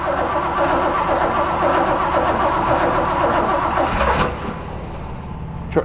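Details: 1960 Corvette, now with a 350, not started in over 40 years, points sanded, carb bowls filled with fresh gas: steady starter churn about four beats a second, never catches; crank-no-start, battery terminal smoking and hot.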